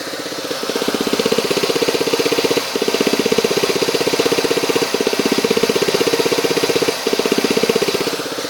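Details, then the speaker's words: 2009 Ford Fiesta 1.0, warm idle, microphone close to canister purge valve: steady light tick about four per second, brief pauses every couple of seconds; purge valve clicking due to cracked hose leaking vapor, heard inside as loose rattle near dashboard. "pessoal esse barulho é decorrente dessa bobina de bago aqui e após algum momento que o veículo está funcionando ela começa a fazer barulho"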